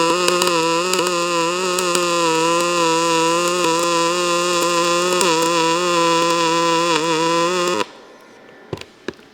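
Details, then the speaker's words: ArcCaptain MIG 205 MP in pulse MIG mode, wire at 385, voltage lowered, arc set to the hard side. A steady, buzzy pulsed hum with light crackle for about eight seconds; wire feed too slow for the amperage. "Okay, we're still not feeding it wire fast enough. So, we need to go up on our wire or down on our amperage."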